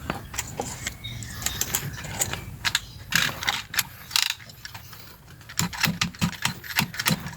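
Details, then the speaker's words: Toyota Calya/Daihatsu Sigra seatbelt with its lock removed, belt tugged: irregular sharp ratcheting clicks in short bursts as the retractor catches; seatbelt retractor jammed. "Nih, guys, kedengeran ya guys, ini macet. Seatbelt kali ya gua nih macet."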